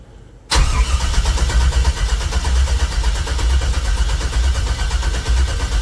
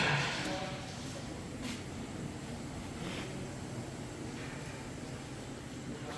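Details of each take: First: 1964 GMC truck with new wiring and Holley EFI, after redoing the Holley setup: long steady cranking with a strong even rhythm and no firing at all; turns over fine but won't fire. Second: 1964 GMC truck V8 after the swapped fuel feed and return lines were corrected; the starter catches and it fires into a strong, steady, even idle; normal start and idle.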